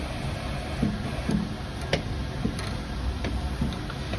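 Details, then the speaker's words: Walcker pipe organ in Kazan's Lutheran church, under inspection: soft, irregular knocks and thumps about every half second over a steady wind hiss. Valves are flapping loose ("sloshing"), with air leaking, and need disassembly and regluing. "Well, the fact that the valves are sloshing, of course, you need to disassemble the whole system and glue the valves back on. This one is sloshing really loudly."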